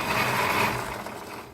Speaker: If you're riding lawnmower with a plastic or composite transaxxle is making this noise.